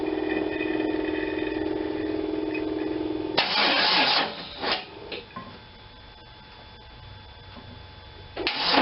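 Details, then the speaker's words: After a fresh gas tank mount, fuel line and pump primed, Seafoam blown through and a little fuel dumped down the carb, the starter gives a slow, strained whirr about three turns a second for three seconds and stops without firing: weak cranking from a dead battery. "so dead battery"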